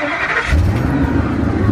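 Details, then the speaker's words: 2003 Ford Excursion 6.8 V10 after a "groove" modification, at tailpipe: irregular sputter and wavering low note at idle; the idle air control valve seems to be shutting itself off, though it sounds smoother than before. "Right. Now, it's got some idle issues. The idle air control valve seems to want to shut itself off. It's spitting and sputtering, but man, it sounds smooth now."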